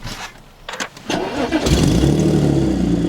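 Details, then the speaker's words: Audi S4 with rattling exhaust at start-up; owner believes he ruined the flex pipes ahead of the resonators: engine fires and settles into a loud, raspy, puffing exhaust rhythm; exhaust leak from damaged flex pipe. "I do think that my flex pipes are really messed up and I think that's the issue"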